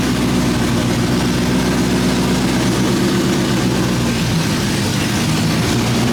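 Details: 2003 Mustang Cobra swapped to a Gen 3 Coyote 5.0L V8 with open headers, 3.8L Whipple supercharger and built 10R80 transmission, at its first start after the build: loud, steady deep idle with an even lope, no knocks or misses; normal healthy idle.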